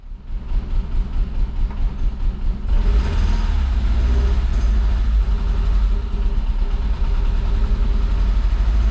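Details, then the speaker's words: Fiat Brava parked 23 years, now running on tank fuel through the pump: uneven, lumpy idle with an irregular low chuff about ninety-odd a minute, struggling to hold idle; two cylinders dead from waxed, stuck injectors. "tá vendo a gasolina da bomba passando pelos bicos só que tem bico travado Olha a cera que tá tanto que a hora que a gente tava fazendo funcionar a gasolina direto não tava falhando é Bico bico travado tá em dois cilindros"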